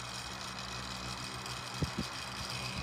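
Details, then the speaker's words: 1980s Tatung 12-inch 3-speed oscillating table fan on high speed (about 51.5 W, 0.45 A): steady motor hum and airy rush with irregular light rattles from a loose front badge. "Hear that badge rattling?"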